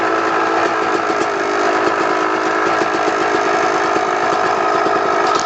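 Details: 2002 Kawasaki KX250 two-stroke at steady idle: faint, quick ticking over the exhaust note; owner has been told it may be the clutch basket, the power valve, or the crank rod/bearing, unconfirmed.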